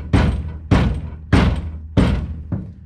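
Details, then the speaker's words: 2009 Ford F250, rear rattle traced to the truck-bed toolbox and fixed by reforming a spring clip onto its rod: five solid kicks to the box, each dying out cleanly with no persistent rattle. "now i can kick it without any persistent rattle so i think we're good to go"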